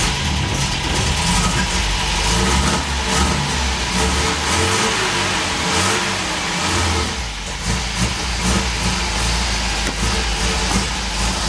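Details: Old car started cold outdoors on a hot day, not warmed up: catches and revs up and down, a bit rough while cold but pulling cleanly; owner says it runs pretty good but needs warming up.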